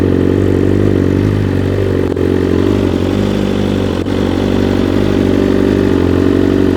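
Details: 2021 BMW S 1000 RR with new full exhaust (Akrapovic titanium headers, SC Project carbon canister), no flash tune: loud steady idle with even beat and crisp note, no knocks or ticks; normal idle.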